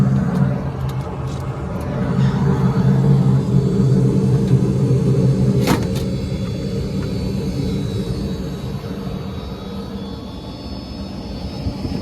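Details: HVAC blower after fitting a brand-new replacement drive part: steady low rumble, even pitch, no belt squeal or slap; drive running smoothly, normal operation.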